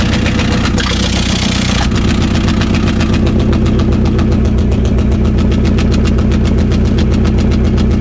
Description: My nova turbo has a misfire. ITS FOOKED!!!!